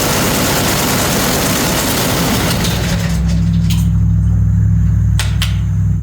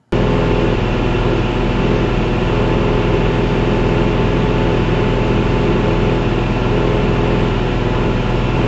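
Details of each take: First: Canard experimental aircraft engine ground run after fitting new ignition part, tested at various rpm on left and right ignition: steady deep roar settling to a smooth lower drone before cutoff; engine runs normally. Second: Experimental canard aircraft engine at 2,500 rpm cruise with new propeller: steady drone with slow slight pitch rise and fall, engine surging about 20 rpm; ignition issue suspected.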